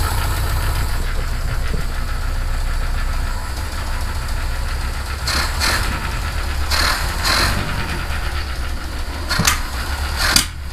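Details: Citroen HY van after fuel system work, started in neutral; deep, steady low chug with even idle beat and a few clicks, visible blow-by; normal idle.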